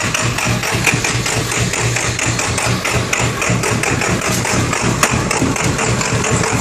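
Steady idle with a hard, rapid knocking pulse riding over the engine note, uneven and harsh, consistent with a rough idle.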